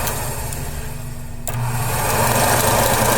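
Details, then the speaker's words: AMC Javelin heater blower motor bench-tested off a battery charger: even whirring hum that rises slightly as the fan speeds up, with no scraping or rattle. Some debris blew out and it sounded better, running smoothly. "sounds like there might be some crap stuck in there actually sounds better it blew some stuff"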